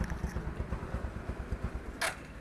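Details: Bajaj Discover 135 single-cylinder engine after full rebuild, previously seized from flood water entering engine oil: even thumping about six beats per second, no tappet ticking, timing noise or knock; healthy normal idle.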